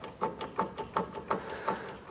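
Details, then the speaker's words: Schweizer 269 helicopter preflight, lower coupling (short) shaft from the crankshaft to the lower sheave turned by hand, mic moved close: soft light clicks about three per second with no hard metal-on-metal contact. Normal coupling shaft rotation. "That's what it sounds like normally. What we don't want to hear is a lot of hard metal to metal contact."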